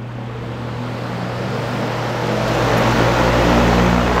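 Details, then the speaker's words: Dayton/Grainger 2MA11 24-inch ball-bearing fan on low, front shroud off, before capacitor swap: steady hum and rushing air, about 73 dB, rising slightly; speed capacitor in series with motor runs it too fast. "if you have a fan that is too loud and you want to quiet it down some so again this is going to be low"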